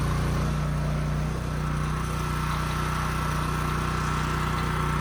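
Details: Husky generator revived after 5 years sitting with bad fuel and leaking tank, carburetor cleaned, new governor spring fitted, running outdoors near 61 Hz: steady, even drone holding one speed without hunting or surging; governor holding well, runs healthy.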